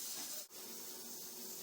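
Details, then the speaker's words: Stovetop pressure cooker cooking pinto beans, at pressure: steady even steam hiss past the gently rocking regulator weight, no sputter or shriek; correct pressure, the cue to start the timer. "it's just a gentle rocking motion and this is the general rocking motion you want every time you cook something in you know anytime you cook something in the pressure cooker it's the same gentle rocking motion every time"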